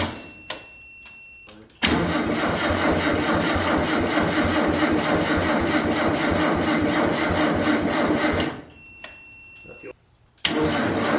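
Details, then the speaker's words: MG Midget with swapped engine, started from a jump/charging pack used as the starting battery: several seconds of sluggish, even cranking that cuts off abruptly as the pack dies; slow cranking from weak starting power. "all right so our charging pack that we were using as our starting battery died"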